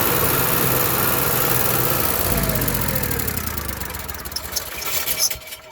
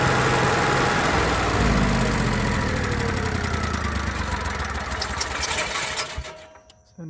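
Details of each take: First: Onan Marquis Gold 5500 generator runs roughly only with choke partly held, then pitch sags and it dies: lean running and stalling from clogged carburetor jets; surging, fixed by cleaning the carburetor. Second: Onan Marquis Gold 5500 generator after carburetor cleaning and high/low mixture adjustment, no parts needed: it holds a steady, even drone with no surging or hunting before winding down; running perfectly.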